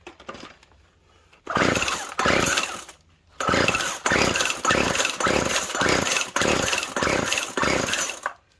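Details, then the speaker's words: Poulan Pro Twist and Edge TE450 string trimmer: about eight rough pull-cord rasps in quick bursts, never catching, no-start; owner suspects dirt or bad fuel plugging the fuel line so fuel isn't reaching the engine. "And it could be there's a plug between here, like a little piece of dirt or bad fuel junk in there. Doesn't look like it's getting fuel."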